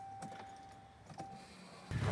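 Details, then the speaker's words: Ram 1500 after fuel pump replacement outdoors at minus 20 degrees, popped ignition coil fuse fixed: with the key on, a faint steady high whine holds for a couple of seconds, the new fuel pump priming normally. "Yep. So we hear the pump priming, we fixed all the fuses."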